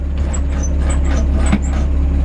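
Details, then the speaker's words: 1947 Chevrolet 3100 pickup with solid-lifter 216 six: faint intermittent high-pitched chirps from the clutch pedal over low truck drone; dry pedal squeak that a little grease would fix. "clutch pedal there. A little grease would do that good."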